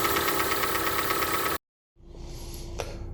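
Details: Hyundai ix35 cold start: quick steady ticking about three per second at idle, quieter once warm but faint rustle remains hot; owner suspects hydraulic lifters (valve lash compensators). Engine tapping on cold start.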